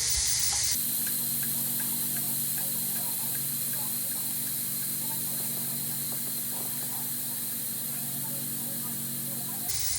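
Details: Instant Pot electric pressure cooker cooking a sausage casserole, releasing pressure through the valve before the red float valve drops. Loud, steady hiss of escaping steam holds constant for about nine seconds: normal pressure release.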